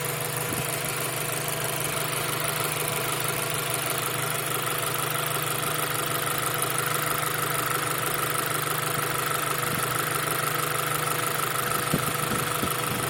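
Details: 2000 Acura Integra GSR, rebuilt engine with 20,000 km, idle with light regular tick about three per second, loudest near fuel rail, steady tick at 2000-2500 rpm; owner suspects valve clearance, unconfirmed.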